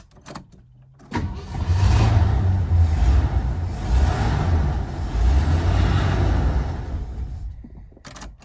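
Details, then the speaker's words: 1970 Ford Country Squire, 390 6.4L V8, parked 14 years, choke closed, plugs checked, first run with a little gas: deep uneven loping rumble with wavering speed; engine running rough and missing. "So, it's running pretty badly still, but"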